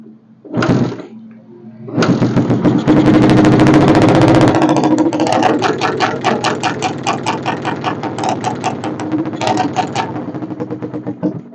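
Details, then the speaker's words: Suzuki Satria FU motorcycle with a new non-original regulator and a drained battery: fine at idle, but stutters and pops about four times a second when the throttle is opened, then bogs; CDI protection ignition cut. "jadi motor ini untuk gas kecil atau langsamnya itu bagus tetapi ketika kita putar gas dia berebet seperti itu ya atau yang dinamakan terjadi t pada CDI"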